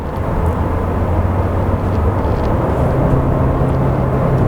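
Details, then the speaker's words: Opel Ampera driving on German roads with its petrol engine running: steady low drone holding constant under way, coarse and rough like an ordinary 1.4, nothing abnormal; normal running, rough tone. "when it's running on petrol it does sound rough um it does sound like a normal 1.4"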